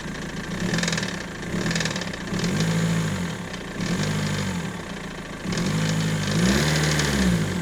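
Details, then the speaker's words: BMW M47 diesel idling with an uneven, pulsing knock and rumble that swells and fades every few seconds, near the steering pump; the owner feared the timing chain, but it was a worn crankshaft pulley damper. "I don't know what that is. I just hope it's not the timing chain. It sounded like in this area near the steering pump, but to be honest, I don't really know. It doesn't sound good for sure."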